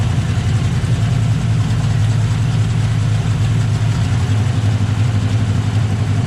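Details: 2008 Ford Mustang GT V8 deep idle with uneven stumbling beat from a passenger-side misfire that began suddenly; spark plugs ruled out, new injectors helped partly, fixed by a PCV tube and a cracked cold air intake leaking air.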